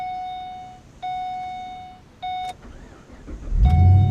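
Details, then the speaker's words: Pontiac G8 started on a newly programmed key-fob chip; three steady high chimes about a second apart, then engine noise surges as the engine cuts out; cause suspected, not confirmed, a one-off glitch that later cleared: warning chime with engine shutdown. "All right. Oh, hang on. So it killed the car. Let's see if we can figure out why."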